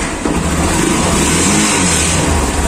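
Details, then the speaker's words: Honda TMX150 Supremo single-cylinder motorcycle, running, lacking power; harsh busy clatter over the exhaust from the clutch housing, worse with a passenger, though the housing was replaced new probably less than a month ago. "Ayan oh tapos pagka umandar siya pagka may pasahero kahon clutch housing yan boss hindi bagong ano yung CL housing nian eh bagong bagong palit bago"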